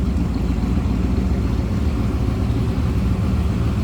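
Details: 1934 Ford 3-window coupe street rod heard running from the rear: deep, even V8 burble at a steady idle with no misses, ticks or knocks; sounds healthy.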